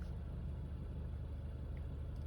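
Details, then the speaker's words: 2015 Honda Fit, about 90k-service, after valve adjustment and intake valve cleaning: low, even idle with no knocks or misses, faint direct-injection ticking; quiet, smooth normal idle. "you can see it's running it's idling and it's quiet and it's smooth"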